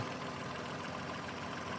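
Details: 2006 Toyota Avalon 2GR-FE V6, chain-driven, once thought locked but actually an incorrectly installed starter, idling after correction: steady, even hum with no knocks or misses, smooth low drone; running fine.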